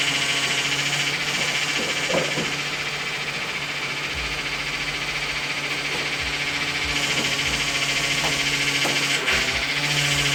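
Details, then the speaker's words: 2000 Dodge Intrepid 2.7 V6 after a power steering flush and refill: faint steady whine and hiss over the idling engine while the wheel is turned; air left in the system after flushing. "And you'll hear power steering noise. That's okay. That's because there's air in the system, so that's fine."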